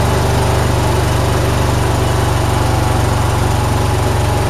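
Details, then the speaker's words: John Deere mower at 472 hours, after the shop replaced fouled spark plugs and a dirt-clogged fuel filter. Engine gives an even, steady low thrum with no misfires, surging or knocking; normal running. "but it said they said it runs fine so I'm just going to run it"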